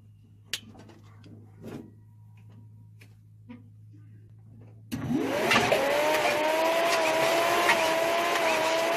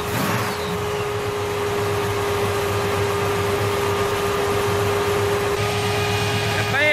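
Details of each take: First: 1966 Chevelle 327 small-block with double-hump heads, a small cam and headers with dual Magnaflow exhaust, at fast idle after a cold start: a light, busy chatter over a steady whine from the valvetrain. One rocker arm was found loose. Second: 1966 Chevelle Malibu, 327 small-block V8 with double hump heads, small cam, headers and dual Magnaflow exhaust, after tightening loose rockers: steady, even, low-rumbling idle with no top-end tapping; normal idle.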